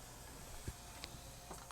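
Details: 1988 Yamaha CD-29 CD player after new belts and pickup cleaning, powering up; few soft mechanical clicks and ticks, no grinding or straining. Normal power-up.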